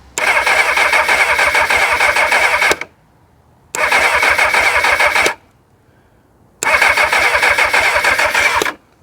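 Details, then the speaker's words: 1999 Kawasaki ZX6R with a bit of choke: three cranking bursts of about three seconds, steady quick chop, engine never catches. The owner did not hear the fuel pump start and suspects fuel delivery; spark is not yet checked, as the plugs sit under the airbox. "Now my concern is that I didn't hear that fuel pump start at all."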